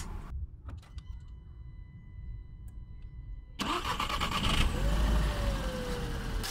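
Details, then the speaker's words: VW Golf GT engine starting and idling after oil and filter change cured a hot-engine knock (chain tensioner suspected); cranks, catches quickly, settles into an even, quiet idle without knocking. "кажется чуть туговато но в общем на ту тихо"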